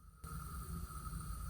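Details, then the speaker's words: Toilet tank with the lid off: the fill valve won't stop running after flushing, giving a faint steady hiss with a thin high whistle. The tank keeps filling and the water runs down the overflow, raising the water bill. Heard before the fill valve is replaced. "So that's running up your water bill. It's just filling up the tank and it's going down the overflow valve."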